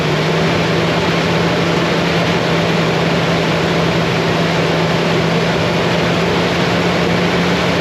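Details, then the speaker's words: Truck engine idling after repairing a damaged injector harness that had caused a hard cylinder 3 misfire, bucking and a flashing check engine light: steady even hum, no misfire; the road test afterwards was also clean. "very good and it wasn't misfiring or at least didn't sound like it"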